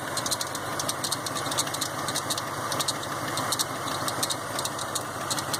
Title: 1990 F150 belt squeal